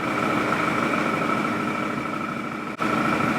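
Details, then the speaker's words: 2017 Odes side-by-side at a steady idle with a fairly even beat and a constant mid-pitched hum, no stumble, after the oxygen sensor and throttle sensor low-voltage codes were cleared; it sounds a little smoother. "Does sound like it's running a little smoother right now."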